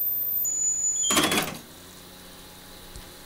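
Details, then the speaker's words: Marantz PMD 520 3-head cassette deck auto bias at normal speed: steady high test tones step through, then a short clunk and quiet as calibration finishes with no error. "okay they'll finish at the same time none of them have come up with an error goody gumdrops"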